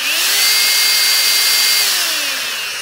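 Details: Dyson DC16 Animal handheld with electronic turbo brush, dirty filter: steady high motor whine at even pitch, easing slightly at the end; smooth, healthy run.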